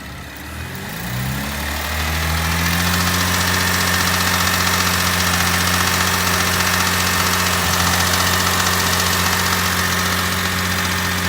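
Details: 2010 Chevrolet Camaro V6, 56k miles: engine starts and settles to steady idle with a faint regular clack about three times a second; clacking at about 2k rpm and below, owner suspected heat shield, source unconfirmed.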